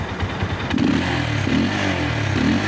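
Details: KTM Duke single-cylinder adventure build after loose spark plug cap, which caused a slight miss, was replaced with a CT100 plug top: revs crisply with an even beat, no skips or popping; running healthy.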